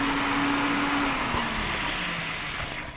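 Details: Toyota Vios with 1NR petrol engine, code P1605, idling roughly with a sagging hum and uneven pulse, jerking; cylinder misfire causing rough idle.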